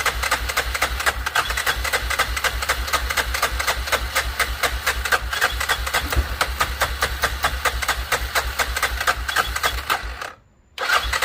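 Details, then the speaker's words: 2006 Arctic Cat 400 4x4 quad, battery dead at 6 volts and run off a jump pack: even cranking at about four strokes a second that never fires. The owner suspects it's out of gas. Cranks, no start. "So it is trying to fire. I'm starting to wonder, I didn't even check the gas."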